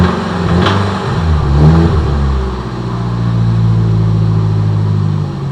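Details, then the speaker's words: 1989 Nissan Silvia S13 SR20DET after a spirited drive: idle and revs with a low helicopter-like drone and intermittent light tapping, thought to be from the top end (lifters), bottom end not ruled out. "so it sounds a lot like a helicopter but it's not going all the time that's intermittently i think it will have done it sound like that coming from the top end"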